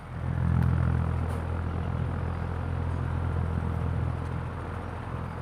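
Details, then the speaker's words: Old-model National stand fan after fitting a new bushing: a low, steady motor hum with an even run and no metal scraping, so the fan turns freely and sounds healthy. "mag-iingay so siguro ay wala kayong narinig na parang nagkakayod ng bakal So ibig sabihin yung bushing na ikinabit ko diyan ay good yun mga kabuting te"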